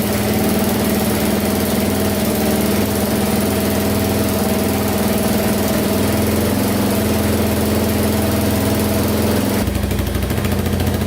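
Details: Yamaha Wolverine 350 4x4 ATV just after top-end rebuild, first start: even, steady single-cylinder idle with smooth low drone, no knocks or misses, no smoke yet; engine running healthy.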